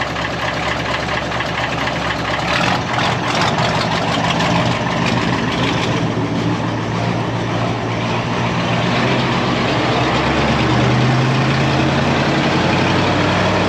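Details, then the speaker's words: Deutz V8 diesel truck after injection pump timing adjustment; even, steady idle with smooth low rumble, earlier rhythmic "pap pap pap" knock seemingly gone, noticeably softer; normal idle. "et j'ai l'impression qu'il n'y a plus ce bruit pap, pap, pap. On va voir quand il va tourner un peu plus longtemps. il est carrément plus doux le bruit"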